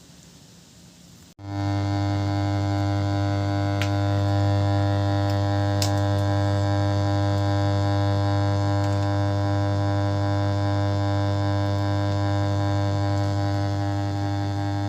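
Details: 5.1 home theater subwoofer at power-on: a loud, steady low mains hum that slowly lessens but doesn't fully stop; suspected weak filter capacitors in the power supply, with adding capacitance proposed as the fix.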